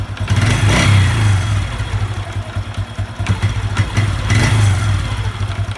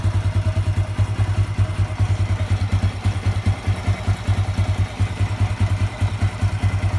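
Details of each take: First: Honda Revo 110 (old Revo "jangkrik"): revs rise and fall, and a loose clatter appears as the throttle snaps shut after revving, intermittent; owner unsure whether clutch or loose primary. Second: Honda Revo 110 (old Revo "jangkrik"): steady, even low thump at idle, two or three beats a second, no knock or rattle; smooth, healthy.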